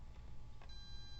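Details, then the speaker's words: TTI 1705 True RMS multimeter continuity test between two points on an intact wire: a clean, high, perfectly steady beep without dropouts shows good continuity. A broken wire would make the beep intermittent. "so i'll now test that there's continuity between this point and this point and as that beeping sound indicates there is continuity"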